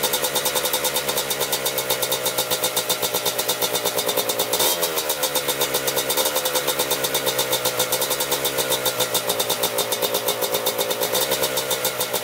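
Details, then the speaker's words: 1987 Kawasaki Tecate 4 250cc two-stroke quad, freshly rebuilt, idling after gas was poured into the cylinder to start it; steady, fast, crisp regular beat with no misses; normal idle. "we're just gonna flip the throttle now. Idling perfect now."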